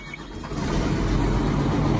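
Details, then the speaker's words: Caterpillar 320C excavator diesel starting after oil cooler reseal, with the fuel injection pump removed and refitted: three injector lines primed, other three tightened, brief crank then it fires right up into a steady, even rumble; normal start. "I felt like it was gonna crank with the 3 that were already primed, and it did. It fired right up."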